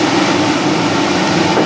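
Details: Blower motor from a 2003 Dodge Ram 2500 5.7L Hemi, bench-run on jumper wires (green power, black ground) during heater core and heater box rebuild: steady, even mid-pitched whirring hum, no catches or scraping; spins freely, healthy.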